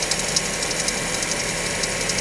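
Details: Mazda5 with intermittent ticking like rattling marbles, usually after a cold start, fading after a few minutes and not daily. Dealer heard nothing and drained the oil; cold-start engine ticking of unknown origin.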